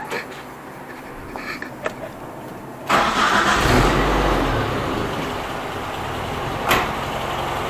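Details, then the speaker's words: Suzuki Samurai converted from its 1.3 to a 1.6 engine, using the original 1.3 flywheel and clutch; it has about 20 miles on it and does 75 mph. Quiet at first, it catches around three seconds in and settles into a steady, even idle; normal start. "just had it out and put about 20 miles on it, so it runs real good. Runs 75 miles an hour right now."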